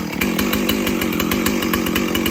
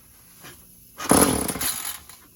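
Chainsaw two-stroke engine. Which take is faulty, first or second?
second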